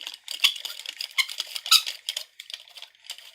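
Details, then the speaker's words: Miele S5211 vacuum cleaner motor after catastrophic failure, turned slowly by hand: irregular sharp high-pitched squeaks with each movement; dry or worn bearings suspected, earlier crunching and grinding when running. "it's not happy that squeaking and all if we turn it slowly"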